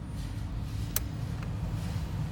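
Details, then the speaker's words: Vehicle blower motor during voltage drop test through the resistor, switched to M2 setting (about 3/4 speed): steady even low whoosh with one brief click, greater airflow as the motor spins faster; blower operating normally. "you can hear that the air flow is greater that means your blower motor is spinning faster which means it should be getting more home"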